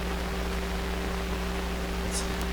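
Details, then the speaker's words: Sparton 1567 tube radio: steady, even hiss and static with a low hum underneath; normal band noise, set receiving properly. "I think I might have heard something there I think I might have been hearing the hiss"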